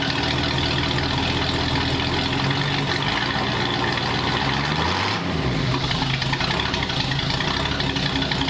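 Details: 1939 Ford hot rod V8 with Ford ram horn manifolds and a new custom true dual exhaust: lumpy, throaty idle with a brief dip near five seconds, then a steady, even, healthy rumble.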